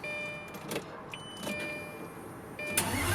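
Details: 2004 Lamborghini Gallardo, cold start before starter replacement: thin high electric whine spins while engine stays silent, then finally bites and fires; old starter slipping and free-spinning, not engaging.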